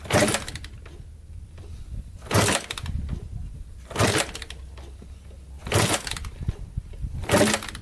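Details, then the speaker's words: 1987 Kawasaki Tecate 4 250cc quad, first start after rebuild: five kick-start bursts about two seconds apart, none firing; fuel is getting through and spark is good, yet it won't start; cranks but won't start. "Alright, it's definitely getting gas. For some reason it doesn't want to start."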